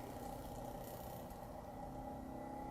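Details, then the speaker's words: Magnetic resin mixer stirring 3D printer resin with a plastic-coated magnetic pill, speed cranked up but not full, after adjusting for imbalance from the bottle's bevel: steady even hum with no chattering, running normally. "Here she goes. She's humming now. I got it cranked up pretty good. I ain't got it full blast. As long as you don't hear that chattering, you're good to go."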